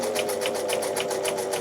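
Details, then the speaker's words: Donated Singer 247 sewing machine, cleaned and oiled, sewing at higher speed: a sharp clack about four times a second in step with each stitch, a clonking that is definitely an issue, cause not yet found. "yeah you can hear the clonking now when you get a bit of speed up you hear the clonking that's is definitely an issue"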